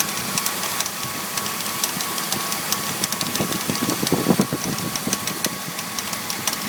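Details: BMW E46 325i idling after new pulleys, serpentine belt, radiator and power steering pump: irregular light clattering and ticks, loose and uneven, from the front of the engine bay; source unknown, owner asking.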